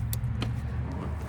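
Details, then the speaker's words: Craftsman T130 lawn tractor, 18.5 hp Briggs & Stratton engine, crank-no-start case; engine off, key turned on gives a short sharp click as the fuel shutoff solenoid pulls the plunger to let fuel to the carburetor, normal. "And that's what lets you know that your solenoid there is pulling that plunger down to allow fuel to go into the carburetor to get it to start."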